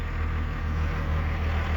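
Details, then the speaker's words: Diesel after replacing the throttle linkage ends and adjusting the idle screw: deep, even rumble holding steady with no hunting or misses; idle now correct and the linkage is sound. "Everything seems to be alright. There's no problem. Linkage is all nice in there."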